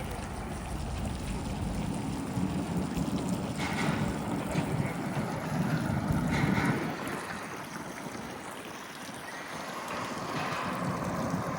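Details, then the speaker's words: Yamaha 70 outboard after $3,100 repair for bad-gas damage, on the water on a cool day, planing off: steady low drone rising and falling slightly with throttle over wind and water noise, no misses or knocks; running smooth, normal. "All right, good for now. Man, absolutely a beautiful day. Oh yeah. Running nice and smooth."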